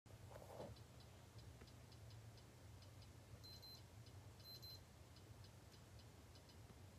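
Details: External hard drive: light, evenly spaced ticks about every two-thirds of a second over a low hum, the read/write head clicking repeatedly.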